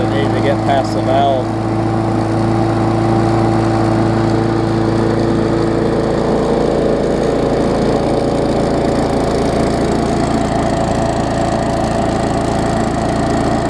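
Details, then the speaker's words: 2018 Murray big wheel mower, swapped-in engine that had run without an air filter; after blowing a puff of smoke it settles into steady even drone with no stumbling or surging; normal running. "it blew that puff of smoke and started running better after that so I'm gonna K keep running it a little while"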